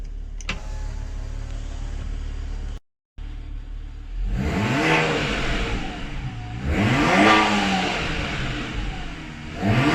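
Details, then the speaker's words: Car upgraded to hybrid turbos, revved in repeated pulls: each is followed by a fluttering chatter as boost backs up through the turbo; compressor surge because the blow-off valve spring is too stiff. "basically what's happening on this vehicle is that the blow-off valve spring is too hard for the car itself after we've upgraded to the hybrid turbos"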